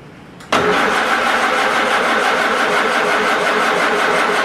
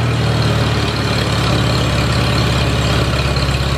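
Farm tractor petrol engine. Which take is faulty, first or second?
first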